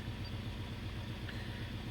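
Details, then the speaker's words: 2005 Toyota 4Runner 4.0 V6 with check engine light flashing on and off and code P0304: low, lumpy, uneven idle as cylinder 4 misfires, traced to a faulty ignition coil. "a cylinder 4 misfire so let's take a little a p30 4 refers to a misfire on cylinder number 4"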